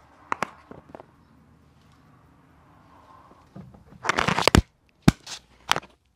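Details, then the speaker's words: Removed anti-roll bar drop link from a 2005 Nissan Elgrand E51, split rubber boot, held in a vice and rocked by hand with the mic close: loose knocks, squeaks and a creaky clunk; worn ball joint with play, the source of the suspension noise. "if i do my microphone there's a sort of squeaking noise if i just put the unit in the vice i can move it and that is the noise we're getting"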